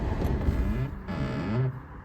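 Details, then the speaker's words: 2023 Hyundai i20 at 29,000 km, automatic climate control, AC on then car switched off: faint whirring motor sweeping up and down about a second; dealer says it is the AC flap actuator noise. "तो guys Joshi Hyundai में पूछा, उनसे consult किया, तो वो ये कहते हैं जी ये एक्चुएटर की आवाज़ है।"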